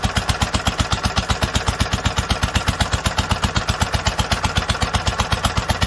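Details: 1946 International Harvester LBB 3-5 hp water-cooled single-cylinder engine, first cold start after long storage: steady even thump about four beats a second, each firing strong and regular, normal running.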